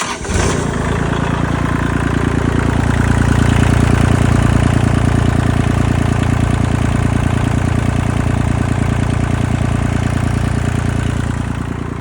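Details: 2022 Kubota L2501 HST tractor, diesel, after solving a crank-but-no-start fault at the starter solenoid: starter spins briefly, then the engine catches and settles into a steady, even chug with no knocks or misses; healthy start and idle.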